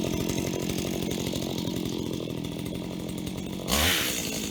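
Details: Stihl HT75 extendable two-stroke pole saw from auction, cleaned and tested: steady high buzz holds pitch through the cut, then a sharp rise near the end, no misfire; runs perfectly, chain sharp.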